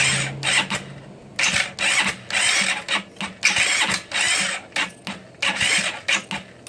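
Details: GY6 scooter after timing chain (46 link) and valve adjustment, starter button pressed with brake held and throttle, starter fluid tried: repeated whirring starter bursts about every two seconds, engine never catches; cranks but won't start, cause unconfirmed.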